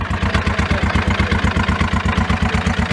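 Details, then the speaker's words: 2016 John Deere Gator XUV 590i with 1,777 hours, reported locked up but jump-started: fast, even clattering pulses ride on a rough idle thump. Definite engine noise; cause not pinned down. "Because I bought it not to even run, so it does turn over, it does run, but there is engine noise. It definitely has an issue."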